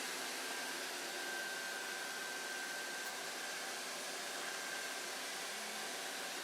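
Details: Sovol SV08 3D printer printing PLA with doors shut and top open, exhaust fan switched on at 100% via start G-code: steady airy fan hiss, faint constant tone, no rattle or pitch change; exhaust fan running normally.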